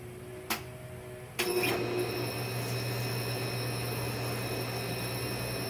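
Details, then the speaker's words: Sta-Rite/Pentair Max-E-Pro pool pump on 240 V just after its motor was replaced with a Bluffton AmeriBLUE 1.5 hp 56-frame motor. It kicks on to a steady hum with a light jingle-jangle rattle while priming. This is normal and goes away once fully primed. "There she's pumping. Hear a little jingle jangle. That only will occur until the pump is fired up all the way. After it's fired up all the way, the jingle jangle will go away."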